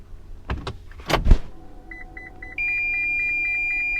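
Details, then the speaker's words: Toyota RAV4 Prime pedestrian warning system in reverse, after a sound-deadening mod to quiet it: a regular high chirp about three times a second over a steady tone, working but noticeably less loud than stock. "Okay. I hear it. Certainly doesn't sound as loud."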